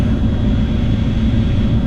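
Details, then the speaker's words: 2009 Dodge Ram 1500 after blower motor replacement, speeds two to three: steady even airflow whir, faint constant high tone, old whine at two gone, slight possible new noise at three; blower running normally. "you can't hear it though - I don't get that annoying whine at two anymore three got a little bit of a new noise I think"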